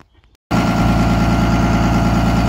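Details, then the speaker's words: Diesel 24-valve with P-pump, just restarted after pin-timing and advancing a couple of degrees: after a brief pause it catches and settles into a steady, even idle with regular clatter and no misses. Runs better than last week, slightly smoky; still needs an idle adjustment. "it definitely needs an idle adjustment but besides that he said it ran a thousand before sounds like it runs better than it did last week"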